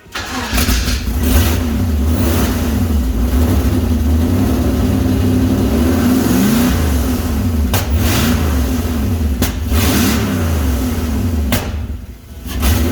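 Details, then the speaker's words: Toyota Toyoace on first start after wiring and fuel work, coil leads unshortened: catches and runs unevenly with surging revs and occasional backfire pop; fuel pressure too low and needs raising. "And the fuel system seems to be okay, but the fuel pressure needs to be wound up a bit. So there's no flames or sparks, which is probably a good thing. It certainly sounds like it, and it has a little bit of a back"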